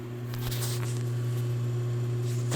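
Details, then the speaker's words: Pfaff 1245 industrial sewing machine with electric clutch motor: steady low constant-pitch hum with no grinding or ticking; motor running normally. "And you hear the hum. Let me turn this one off. You can hear the hum."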